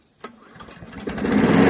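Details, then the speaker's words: Briggs & Stratton 7HP Platinum lawnmower engine, after exhaust valve grinding (compression raised from 35 to 60 PSI) and a new carburetor: starts on the first pull and quickly settles into a steady, even, healthy run. "Started first pull. First pull. Wow, and that runs great."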